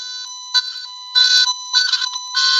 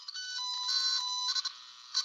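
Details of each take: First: Tone tracer on a wire: steady, clear high tone once the short is broken and the loose connection found, meaning the line is no longer shorted or energized; shorted or energized lines buzz instead. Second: Electrical circuit tracer (toner) on a wire whose connection is barely touching: warbling tone that crackles, jumps in pitch and fades out from high resistance, unlike the pure tone of a clean break.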